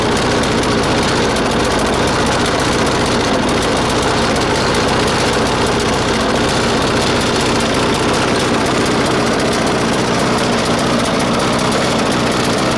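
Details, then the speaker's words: 1996 Murray 20-inch mower, 4 HP Briggs & Stratton, cold start at 3°C after 10 months sitting, bad primer bulb. Loud, ragged chatter never settles into an even beat: lean, underfuelled. A different spring was fitted to raise idle; it may need spring adjustment. "you might have to adjust the the spring right here uh because this one is not getting enough fuel but i already uh put put like a different spring in there and so it is actually running"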